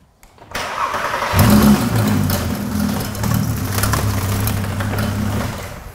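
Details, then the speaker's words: VW Golf R32 restarted after sitting, engine idling with a harsh gritty grinding rasp throughout, traced to a seized A/C compressor. "no wonder he stopped that's an horrendous noise is it"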